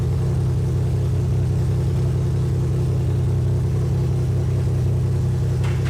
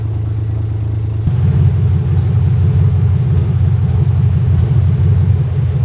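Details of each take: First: 2001 Lexus IS300 with clogged catalytic converters, aftermarket header being fitted: low idle with uneven exhaust beat and recurring stumble, popping out the header; misfire at idle, cylinder not yet identified. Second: 2001 Lexus IS300 after clogged catalytic converters were replaced with an aftermarket header and cat-delete adapters: low, steady, even idle rumble with no obvious miss. Normal idle; earlier cylinder 3 misfire may return.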